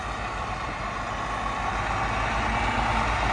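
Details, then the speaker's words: 2009 Volvo VNL truck, big Volvo diesel, 10-speed: steady, even idle with a deep low rumble and regular firing pulses, no knocks or misses; engine sounds strong, slight oil leak noted. "You can hear the engine strong."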